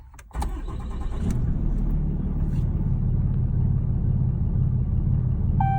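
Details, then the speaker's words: 2016 Ram 2500 6.7 L Cummins diesel, 68RFE automatic, about 115,000 miles, emissions deleted, idling in park: deep uneven loping idle like a cam job, worse in reverse or drive with whole-truck shake; cause not yet found. "once I turn it on you guys will see it's it has a loop it sounds like as a cam job one of my one of my neighbors had told me asked me of my truck had a cam job on it or not just running shitty"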